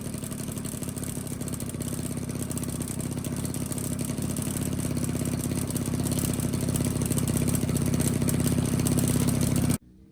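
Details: 1985 Honda Spree two-stroke scooter, after its carbon-plugged muffler was burned clean in a fire pit: a buzzy note climbs steadily with the throttle, runs clean without bogging, then cuts off.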